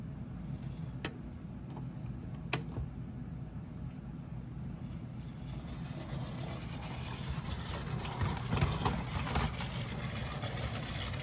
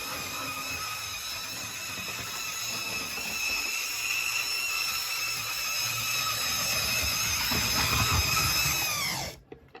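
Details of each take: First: Mainline Railways Royal Scot model locomotive that previously squealed, running after disassembly and reassembly: smooth, steady motor whir with light rail clicks and no squeal. It now runs normally. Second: Mainline Railways Royal Scot model locomotive, run only about twice. A steady, piercing high squeal runs continuously while it moves and cuts out when it stops. Motor squeal from lack of lubrication.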